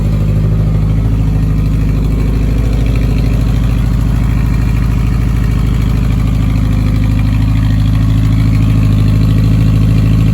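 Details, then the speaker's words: 1985 Honda Gold Wing GL1200, bought running as a project and sat a month or two, cold start fast idling about 1500 rpm on choke to warm up. Smooth, even low drone with no knocks or misses; later testing found bad rings. "About 1500 RPM while we idle to warm up with the choke on. It's not too bad."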